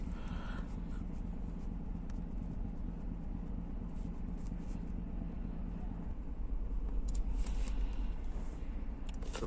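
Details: Chevrolet Tahoe V8 idling with a deep, uneven lumpy beat and strong shaking; engine misfire, with misfire counts shown on several cylinders.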